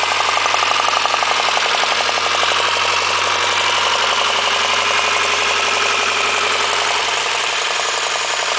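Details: Honda engine at steady idle with a sharp, fairly regular tapping near four a second on top; rod knock suspected, not confirmed.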